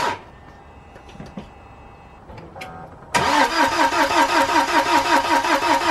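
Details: BMW N47 diesel first start after timing chain replacement and oil top-up: after a quiet pause it fires at once and settles into an even, regular idle clatter; starts and runs normally.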